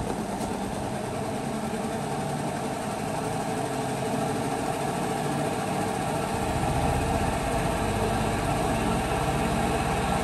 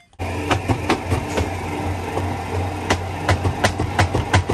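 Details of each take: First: LG WP-1650ROT washer after repair and reassembly, spinning wet cloth: a steady motor hum with a smooth whirring rumble building as the tub speeds up. It is stable, with no more knocking. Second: LG WP-1650ROT washing machine, long in use: spin tub hums steadily while sharp irregular knocks bang about three times a second during spin.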